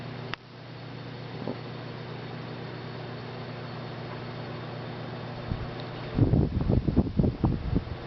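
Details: 1990s Galaxy 16-inch oscillating table fan, which had screeched horribly, after cleaning and oiling, run on low: smooth, even motor hum, no squeal or scrape, a few handling knocks; runs fine.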